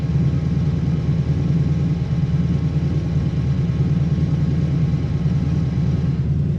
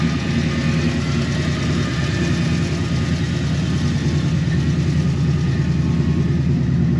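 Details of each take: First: 1957 Chevy 210 hot rod barn find, engine and cam unknown: deep, lumpy idle with a wandering beat and shaky tach; runs better at higher speeds; rough idle, cause not pinned down. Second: 1957 Chevy 210 barn-find V8, long-sitting, revived for a 600-mile drive: started easily, steady even low idle rumble with no misses, knocks or hunting; normal idle.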